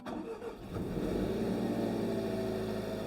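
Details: 2020 Jaguar F-Type (X152) salvage rebuild, first start after refilling coolant and bleeding an air lock: quick crank, catches cleanly and settles into a steady, even idle with no misfire or gurgling from the cooling side.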